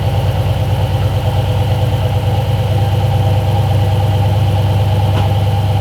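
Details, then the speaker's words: 2012 Jeep Grand Cherokee SRT8 6.4 V8 after replacing the upstream O2 sensor and clearing bank 2 misfire codes (P0300/P0151): deep, steady idle with even low rumble, no stumble; now idling smoothly. "so it's sounds good it is idling better A lot better"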